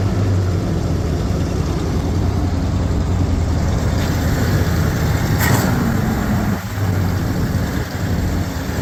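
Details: Ford Bronco after carburetor rebuild and fuel system reassembly, heard from the back: deep even V8 rumble at steady idle with a light throttle blip, no misses or knocks; normal idle.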